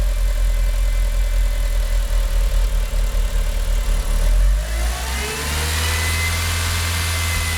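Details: Mitsubishi Evo IX MR with flashed ECU: low idle hunts and stumbles, dipping toward 400–500 rpm as if stalling, shaky, then revs settle; rough idle persisting after new plugs, no vacuum leaks, runs fine off idle.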